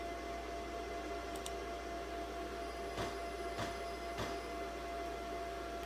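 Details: 2014 Ford Focus 2.0 L direct-injected four-cylinder, key on engine off with battery charger, low-voltage codes: sharp crackling static bursts through speakers over a steady tone; faulty radio head unit (audio control module).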